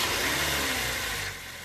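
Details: Car engine idling after its alternator was repaired by replacing the alternator bearings, which had caused a harsh, grumbling whine; smooth, even idle with a steady airy hiss and no screech or chirp; normal idle.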